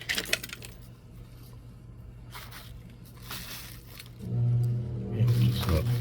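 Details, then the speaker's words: Old KMT brass HO PRR diesel switcher model locomotive on track after replacing corroded flexible drive-shaft tubing: small motor starts with uneven grinding chatter that won't settle; slipping from cracked plastic drive gears. "sounds like a slipping gear yeah all right you're going to have to go inside something's not right"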